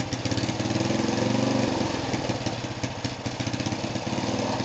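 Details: Rebuilt small single-cylinder go-kart engine on its first start after the rebuild: it catches, revs up, then settles into a quick, steady putter at idle. Runs clean and healthy.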